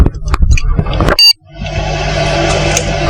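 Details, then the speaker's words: Desktop PC restarted after the RAM was cleaned and reseated: a single short, sharp POST beep, then fans spin up and display appears; normal boot confirming the RAM is now fine. "देखिए सबसे पहले तो जो beep की आवाज है उसने ही हमें ये इंश्योर कर दिया कि हमारा रैम अब ठीक है। सिंगल बीप की आवाज हमारे कंप्यूटर से आई और डिस्प्ले हमारे सामने है।"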